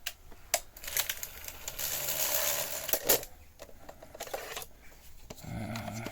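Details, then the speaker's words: Sony SL-F1 (SL-2000) Betamax deck after repairing a not-lacing fault: irregular clicks, clatter and a short whirring mechanism run during cassette eject, rougher than a clean eject; cause not confirmed, still a concern. "still a bit concerned about that noise as well."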